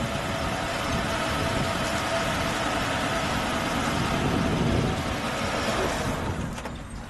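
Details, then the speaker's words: 1983 AMC Eagle Sport SX/4 4x4, original 258 CI six, under 35,000 miles, custom exhaust tip: steady even idle, smooth low hum, no knocks or stumbles, fading at shutdown; normal idle, sounds like a new car. "let's hear Jim sounds like a brand new car y y let me get the exhaust note there you got a little exhaust custom tip on that sounds smooth sounds smooth"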